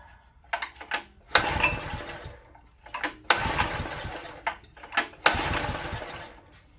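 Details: Old open-frame Honda EG1400Z generator bought non-running, possibly water in fuel, pull-started with choke toggled: three short pulls catch for a second, sputter and die at once; spark checked, the spark plug the likely suspect.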